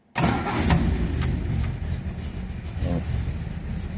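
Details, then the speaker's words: Restored 1966 MGB GT on bell-mouth carbs, cold start with choke: catches quickly and settles into slightly lumpy fast cold idle; oil pressure and temperature right, healthy cold start. "There we go, she's probably just a bit cold, honestly not bad."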